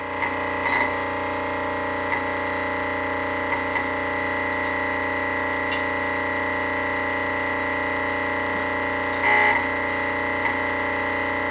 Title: Rocket premium plus making noise.